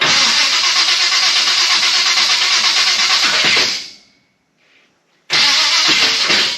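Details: Chevrolet Biscayne, after refitting the starter with shims: fast even starter whirring for several seconds, pause, more cranking, engine never catches; shim math, done by guess and check, later found a little off.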